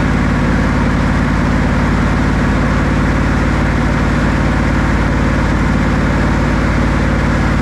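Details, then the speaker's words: Buick 455 big block (built to 461) in a 1971 Electra 225 during cam break-in, held around 2,000–2,300 rpm, oil pressure about 50 psi, temperature rising: smooth even drone, no ticks, knocks or misses; healthy. "it's running really good oil pressure is good around 50 lb our temperature is sted to come up"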